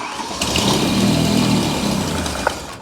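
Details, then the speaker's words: BMW E31 with S85 V10 swap on standalone management, just after first run in ten years: starter cranks steadily but engine won't fire; owner realizes fuel pressure isn't constant. "oh you know why I don't have constant fuel pressure that's why it's not running"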